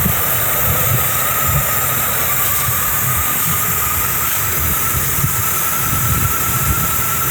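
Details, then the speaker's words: 1984 Chevy Monte Carlo V8, abandoned for about five years, first cold start with the choke not working; lumpy, stumbling idle with faint hiss, apparently running on seven cylinders. Owner suspects a vacuum leak, possibly a cracked rusty vacuum line. "the choke's not working. It seems like it has a vacuum leak. I'm going to let it warm up and see how she runs a little warm."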